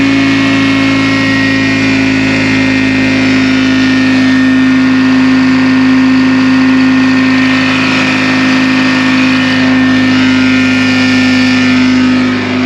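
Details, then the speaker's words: 1960 John Deere 440 backhoe, supercharged two-stroke Detroit 2-53 diesel, freed after sitting seized for years: dense even drone with steady high supercharger whine, no misses, nearly 60 psi oil pressure; running healthy. "this thing sounds awesome you hear the supercharger this thing's flipping cool i'm excited to run this machine"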